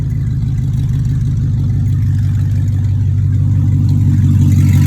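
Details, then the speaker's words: 2002 BMW 745i V8, flood-damaged electrics, after power control module swap: deep, loud, steady rumble at idle with raw unmuffled bark; catalytic converters were removed and sold, so both pipes run open and the car is that loud. "And the catalytic converters are gone due to someone selling them as parts. And that's why this vehicle is that loud."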